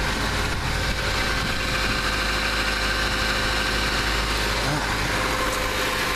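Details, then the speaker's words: 1999-2001 Mazda Protege 1.6L idling right after a timing belt service: steady, smooth idle with a faint light whir from the front of the engine. The new belt makes a little noise at first and is expected to quiet down. "sometimes those timing belts will make just a little bit of noise when you first run them I hear that one just make just a little bit but that'll probably quiet down so good"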